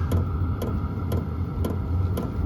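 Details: HCalory compact tool box 2 diesel heater, first startup on Bluetti AC180, cold day; at H1 low setting, sharp regular pump clicks about twice a second over low steady fan hum; normal running.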